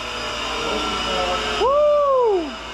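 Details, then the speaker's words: Greasable 220V electric motor run via breaker: dense hissy whir with audible bearing noise, then coasts down smoothly after power cut, so not totally worn out. "That thing started with some authority, man. You hear that bearing? Look at this, it's greasable. Yeah. But it's winding down nice and easy, so it's not totally cooked."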